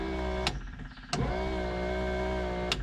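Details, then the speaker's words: 1961 VW Beetle wiper motor (6 V motor fitted with a 12 V armature) stops and just makes a steady hum with sharp clicks; cause unknown, possibly a problem with how it turns. "see that's what happens here now it's stopped and it just makes this noise I don't know exactly what's going on"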